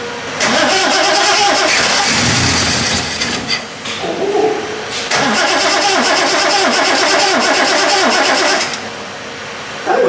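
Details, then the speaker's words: Triumph TR6 engine, start attempt after restoration, with starting fluid sprayed in: long cranking bursts with ragged catches that die once the fluid is used up. Backfire makes the owner suspect the timing is out; a leak was found at the pressure-release pipe. "now that was with a damp start that almost sounded positive"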